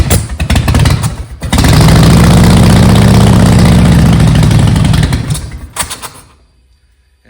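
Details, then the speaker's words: Harley-Davidson Softail after new intake seals and a timing check: it starts and lopes at about four beats a second, then coughs, chokes and dies within seconds after idling briefly. The stalling and rough idle possibly come from bad spark plug wires. "it runs you know it idles fine for just a minute as you can see and then all of a sudden choke spots spit and that's it she's done"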